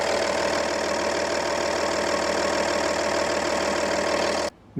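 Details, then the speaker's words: Audi A8 D2 with 2.5 TDI V6 AKE diesel, previously misfiring on one cylinder (broken valve seat; head ground, guides and seat replaced); now idles steady and even, cylinder 3 running smoothly, fuel correction within ±1.5, even ±0.7 — normal idle. "że trójka chodzi płynnie, patrzymy na korektę - korekta jest też normalnie - do plus minus 1,5, korekta tu generalnie idealna"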